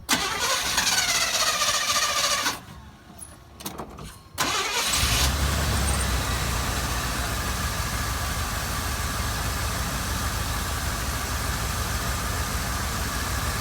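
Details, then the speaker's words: Truck V8 after replacing one corroded, wet, off-centered spark plug that left it running on seven cylinders: starter cranks, engine catches and settles into a loud but steady, even idle with no skipped beats. "all right sounds like it worked uh it's a loud motor but uh before that that spark plug was definitely missing a beat"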